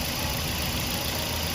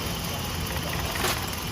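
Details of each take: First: Toyota Vios 1NZ engine after replacing the failed cylinder 1 ignition coil (was shaking and misfiring at idle): smooth constant idle with even low thrum, no skips or cutting out. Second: Toyota Vios 1NZ petrol engine that shakes at idle and needs two or three cranks to start in the morning: steady idle with an uneven, lumpy beat, a cylinder dropping out; failed ignition coil found.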